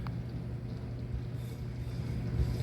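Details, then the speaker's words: Dryer that kept shutting off with door popping open, after tapping sideways with a hammer: steady low drum rumble, no clicks, scrapes or cut-outs; now keeps running and latch has resistance, though still not fully satisfactory. "Now it's on and running, and you can tell because now when I pull the door latch, I've got resistance."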